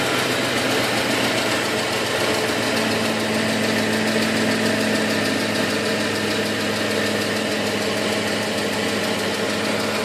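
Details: 2007 Ford F150 5.4L V8 idling: fast, even ticking about three or four per second over the engine note; cause unknown.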